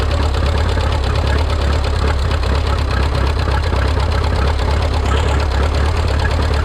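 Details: Rebuilt Minneapolis Moline 335 tractor engine, warm (gauge about 140°), tappet gaps readjusted warm: loud, low, lumpy beat with uneven pulses and no steady rhythm; running rough, not firing quite right.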